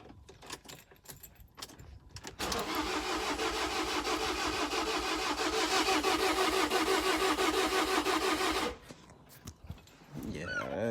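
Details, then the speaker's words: 2017 Ford Transit food-truck van that won't start; starter turns it evenly about three beats a second for six seconds, never catches; owner suspects no compression, plans to tow it and open up the engine. "there's no compression in that."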